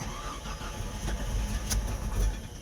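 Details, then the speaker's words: Comanche after hooking up a wiring loom behind the bumper: starter churns a couple of seconds, then engine fires and builds to a steady run; starts fine now. "oh she tried there we go he's a runner"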